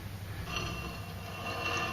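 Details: Steady dry scraping grinding as a rusty, loose brake rotor is spun by hand during wheel reassembly; dust shield was contacting the rotor and can be bent back.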